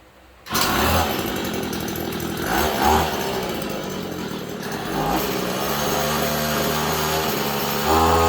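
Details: Hyper Tough 2-stroke string trimmer with about 32 hours, just after a gearbox replacement: a sharp two-stroke buzz that climbs and settles with throttle, steady with no knocks or grinding; running properly.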